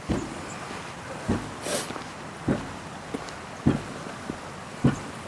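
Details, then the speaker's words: Hydraulic ram water pump, outdoors: soft regular clunks about every 1.2 seconds from the intake valve opening as it pumps water onward; normal operation. "so this thing here is the intake that clunking you can hear there a noise of the uh the valve opening as it pumps through to the next bit"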